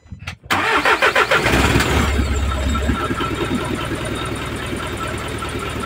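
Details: Isuzu 4HL1 diesel, freshly overhauled after water got in through the air cleaner and damaged the piston and connecting rod, troubleshooting a no-start: brief cranking, then it catches and settles into an even, steady idle clatter; clean, healthy start.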